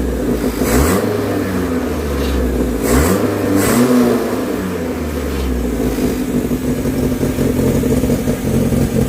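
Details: Renault 16 TX engine started after a rebuild: revs blip up cleanly a few times and settle back to an even idle, with no knocks or rattles; normal running of a healthy rebuilt engine.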